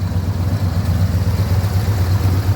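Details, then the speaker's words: 1976 Ford F350 Super Cab V8, fresh battery, running on bad gas: low, steady idle with even pulsing beat, no misses or knocks, smoothing out as it warms; sounds healthy; normal idle. "can just smell the bad gas, but It sounds healthy. Got trailer hitch. These things sound really good."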